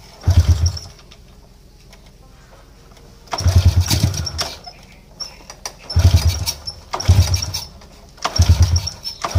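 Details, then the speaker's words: Motorcycle that is hard to start and sputters when it runs: repeated start attempts catch in short, ragged bursts then die; a very weak spark at the plug is the cause. "Oke susah hidup dia punya masalahah susah hidup dan bila hidup dia semput semput Memang agak Teruk jugalah"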